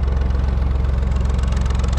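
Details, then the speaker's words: Lister HW3 three-cylinder diesel narrowboat engine, recently serviced (oil, oil filter, fuel filters) and valve clearances set: deep, even chug at about nine beats a second, steady with no knocks; running healthy. "it's a three-cylinder engine alistar hw3 as you could hear she's hurried away in the background"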